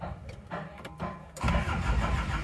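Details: Isuzu Panther Miyabi diesel after an engine overhaul: uneven, labouring crank for over a second before catching into a rough idle. Hard start because the glow plugs are inactive and must be pushed manually. Diesel also drains back from the injection pump to the tank because the feed pump fails.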